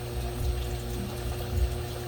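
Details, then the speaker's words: Fuel pump bench-tested in a bucket of gasoline on a battery charger, outlet into a bottle: steady low hum, faint whir and sloshing; pumps but reads only about nine volts, far below expected; car intermittently fails after driving. "okay it's working as you can tell and it's going into this but [Music] it's only reading like nine something volts"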